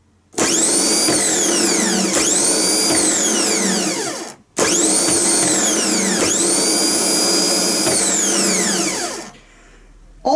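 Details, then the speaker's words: Repaired Bosch starter motor bench-tested with its new, snappy solenoid after commutator cleaning, sleeve bearing lubrication and a new brush holder; two even high-pitched spin-ups winding down smoothly, no scraping or grinding. Normal free spin. "the old starter wasn't bad at all this one's a bit more we cleaned the commutator we lubricated the sleeve bearing over here put a new brush holder that's basically all we did"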